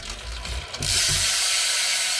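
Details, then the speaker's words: S&M Credence BMX freestyle bike with race bearings in the hubs and 25-9 gearing, wheel spun with barely any pedaling: fast, even ratchet buzz as the rear wheel coasts freely, no rubbing or grinding; healthy freewheel. "And look how free that bike spins. And that was barely pedaling it."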